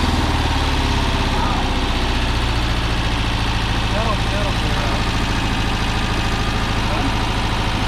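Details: Porsche 914 flat-four with carburetors, first start after preventive maintenance: a rough, lumpy idle with an uneven stumble every few beats, running on three cylinders because one spark plug lead came off.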